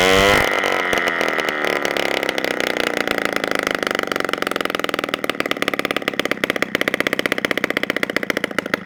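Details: 1987 Honda Aero 50 two-stroke scooter, first kickstart after carburetor cleaned and fresh gas: harsh, crackling, very loud open bark, firing unevenly and barely holding idle, running with the original muffler removed.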